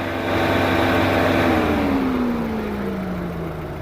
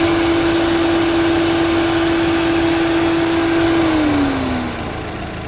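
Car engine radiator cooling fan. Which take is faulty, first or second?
first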